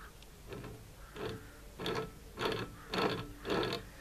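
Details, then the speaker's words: Faulty 12V wind turbine generator, blades off, turned by hand: rough gritty grinding bursts about twice a second. The rear bearing feels collapsed and may have destroyed the generator. "so those bearings are oh yeah it feels like the back bearing has collapsed that could have destroyed the generator"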